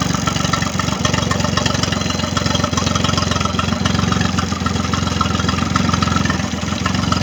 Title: Triton Mercury 25 hp No start issue, Final Running 2 3 25